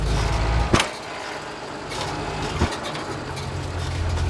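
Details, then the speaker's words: Renault on its first test drive after an engine break-in: two hard single clunks over road rumble as throttle goes on and off. Transmission mount feels loose though it wasn't loosened; the cause of the driveline slack is still unknown. "Something's not right because it's clunking. I didn't loosen the transmission mount, so I'm gonna have to figure out what's causing that, because that's everything's tipping when I get on the gas and off."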